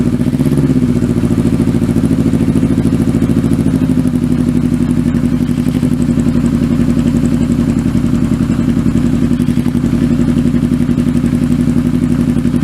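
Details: Kawasaki Z650B restoration, rebuilt carbs fitted, mic behind engine: lumpy idle thumping about two beats a second, number one cylinder dropping out and running on three, won't idle.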